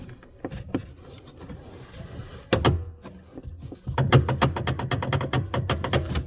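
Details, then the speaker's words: 2015 Subaru Outback power rear liftgate motor run with prop rod removed; rapid, uneven clicking and knocking from the gear, which is loose where gear meets motor, likely worn sprockets, so the whole assembly needs replacing. "it feels like this is loose look at this this thing is loose right here see it's this is the gear and this is the motor so it's loose here somewhere definitely"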